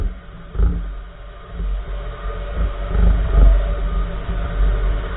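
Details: 2014 Nissan March driving on the road: a few irregular dull thuds from the right front wheel over road rumble; suspension clunk of unknown source.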